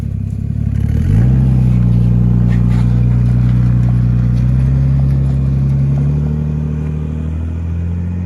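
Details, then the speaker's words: Holden VL with swapped-in RB30 turbo engine, auto with manual valve body, big exhaust, no bonnet, first drive on private road: engine revs with a steady drone that stutters and goes uneven, breaking up under load, cause not yet found. "Sounds very naughty. Definitely breaking up though."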